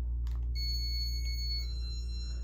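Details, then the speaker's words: 1985 Casablanca Broadway Limited Inteli-Touch ceiling fan with a replacement board and LDM, owner unsure if the board is faulty: steady motor hum under a clear high chime that shifts pitch oddly, cause unknown; the fan is stuck in flicker mode. "I don't know why the chime sound like that but yeah it's in a work of process work in process"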